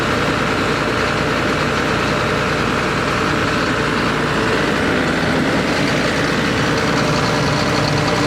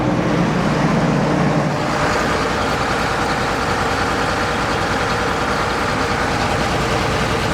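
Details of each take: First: John Deere 9600 combine diesel, after replacing a worn injector behind blue smoke, fuel-diluted oil and code 37E: deep, even idle with no misses or stumbling, running much better; the code cleared. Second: John Deere 9600 combine diesel on a cold start, puffing blue smoke, code 37E (fuel temperature sensor). Loud, uneven, lumpy stumbling idle; one cylinder missing, injector later found completely worn out on the test stand.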